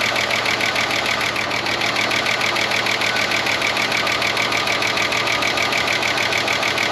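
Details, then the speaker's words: 30-year-old Ford Falcon one-tonner pulled from a paddock, cold idle just after revival: fast, crisp, high-pitched ticking about three per second, very chattery; owner suspects a stuck lifter and a cylinder down, plans to warm it up to pump the lifter up. "Very chattery. It could just be a stuck lifter."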